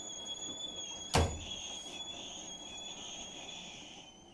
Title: Why is my Hotpoint making really bad squeaking noises!?